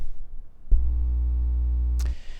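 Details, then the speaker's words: Replacement Blue Spark SL microphone: a steady low electrical mains hum and buzz appears only while the logo is touched, then cuts out. Touching elsewhere is fine; a design flaw is suspected. "now on this microphone that's the only spot where you're getting that buzz and that hum from you could touch any other part of the microphone and it's fine but as soon as you touch that logo bad news"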